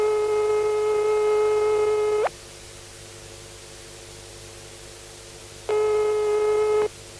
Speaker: and finally here the dial tone ring tone and busy tone of a packs fitted out with a transistorized turn generator the new Japanese ones have turns very similar to these